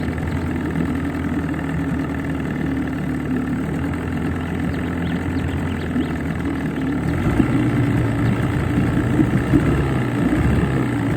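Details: Johnson 20 two-stroke outboard in a test bucket after new water pump, head gasket and water cover gasket: even burble at steady idle, picking up slightly after a few seconds, no knocks or rattles; runs clean with strong tell-tale flow.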